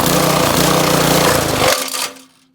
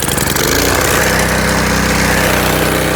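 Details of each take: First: Honda GC 190cc single-cylinder engine with water poured into intake: hammers steadily, then chokes and dies abruptly within half a second; hydrolocked, piston damage found afterwards. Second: Honda GC190 190cc single-cylinder engine before the hydrolock tests: steady, fast chatter at constant speed with an even exhaust beat. Running normally.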